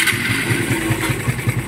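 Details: Secondhand motorcycle that another shop diagnosed as needing a bottom-end overhaul, quiet at idle per owner: light, regular ticking clatter from the top end over the exhaust beat; worn cam lobes and tappets.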